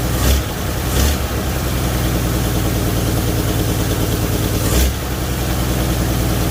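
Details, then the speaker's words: 1978 Chevy Nova engine started after engine-bay pressure wash; low, slow, slightly lumpy idle with heavier stumbles; owner believes idle was turned way down because of a brake booster issue, not confirmed. "so so i just wanted to show you real quick that it does run the idle is not correct i believe that it's been tuned way down on the idol apparently because the issue with the brake booster"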